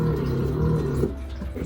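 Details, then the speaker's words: LG washing machine with LE error during spin, previously shaking, jarring and squealing: loud low hum under a deep rumble that drops off after a second as the drum labours to spin; owner suspects something loose at the rear motor. "Yeah, it's struggling. It's like it's kicking into gear or something."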